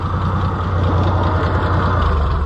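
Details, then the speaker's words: White 2-70 gas tractor being revived, no battery fitted: heavy low chugging with uneven stumbling firing pulses, barely staying alive and close to stalling. "there's no way it's going to move because I'm just barely hanging it on to life"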